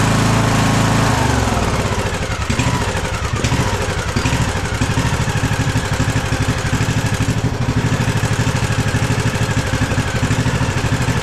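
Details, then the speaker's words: Craftsman DLT3000 lawn tractor engine after a head gasket, new carb and swap to another old coil: uneven, stumbling chug about three beats a second. It runs about 75% good at full throttle, idle awful, backfiring and surging. "Well, at least it runs. I've been adjusting the carb, too, and it's not really making a difference. It runs like 75% good at full throttle, and idle is just awful."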